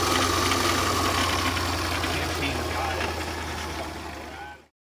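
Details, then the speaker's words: 2011 Land Rover LR4 from auction, first start: harsh metallic rattle and grinding at idle, even clatter three or four times a second; suspected timing chain, quiet while driving, also a fuel problem; no check engine lights. "whenever you're driving like right now it's actually quiet so I would say it's definitely at a timing chain and you have a fuel problem currently that can be resolved"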